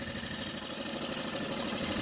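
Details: Mercury 4 hp outboard after no-start revival, throttled back to idle after a run on the boat: even light buzzy tick-over with no misses or stumbles; healthy steady idle.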